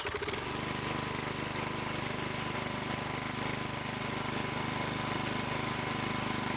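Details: Small single-cylinder tiller engine idling in neutral after about 20 years sitting, once fuel was added; steady, even putter at about three and a half beats a second, no misses or knocks: normal idle.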